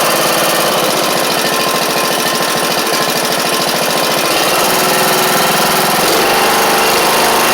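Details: John Deere E100 Briggs and Stratton engine after sump work: harsh, clattery single-cylinder run with a hard regular pulse about three times a second under a loud rasp; the connecting rod broke not long after.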